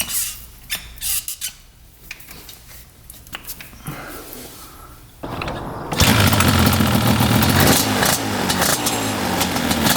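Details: 1995 Yamaha Banshee 350 two-stroke after sitting 18 years in a barn: fires and settles into a crisp, even, raspy run with no misses or knocks; idles low and revs out well, healthy.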